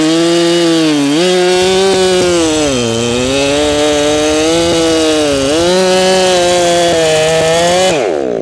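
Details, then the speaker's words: Ported Echo CS7310P chainsaw with 20-inch Sugihara bar, newly tuned, still breaking in, cutting hard maple: high steady scream that sags in the cut with a faint burbling break; slight four-stroking, tuned a little rich. "It's still four stroking just a little bit. I could lean it out a little more."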